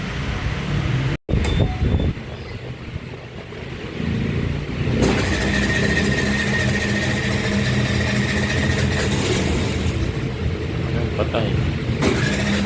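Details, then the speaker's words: Suzuki Burgman Street scooter with no idle: the engine cuts out, keeps running only with uneven revving, and dies when the throttle is released. Dirty throttle body and injector are the cause; the fix is removing and cleaning the throttle body. "napansin niyo wala siyang hard starting tapos wala siyang menor tapos pag nire-reb siya tsaka lang siya aandar t's pag binaba mo yung minyador namamatay"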